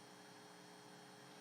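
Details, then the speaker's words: 2.5-inch SATA hard drive on a SATA-to-USB2 adapter during a block-by-block scan: a quiet, even whirring hum with a faint steady tone and no clicks, before later clicking failures; normal running. "Right now it doesn't sound like it's doing a lot of mechanical stuff. It's just mostly a nice little hum."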